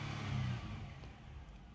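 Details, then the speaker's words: 2001 Nissan Xterra held at high RPM: engine roars then repeatedly sags and cuts out, unable to hold revs; misfire worsens when hot, cutting out down to 2000 rpm, and sets a P0300 code. "high RPM what see how it's cutting out off and on off and on hopping out like it it can't maintain it and when it gets hot it really does it bad down to 2000."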